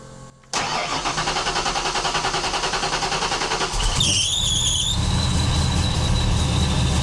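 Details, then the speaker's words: Ford Foxbody with 3G alternator, cold start: uneven idle then a shrill wavering squeal for about a second; suspected alternator belt, but it is traced by ear to the supercharger (blower) belt slipping. "supercharger, it's not the alternator. That's the supercharger that's No. squealed."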